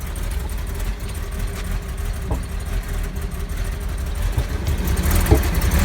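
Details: 2002 Porsche Boxster 986 at cold start after sitting for under a year: uneven, lumpy idle with sharp irregular knocks, white smoke and a bad smell, returning to normal after about two minutes; cause unclear.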